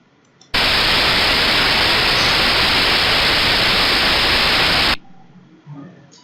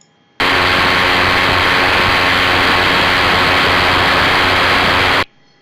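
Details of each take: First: hemos escuchado cómo son a nuestro rodamiento Second: Recorded ultrasound file of a badly damaged rolling bearing played back in UE Spectralyzer software: dense, harsh crackling hiss.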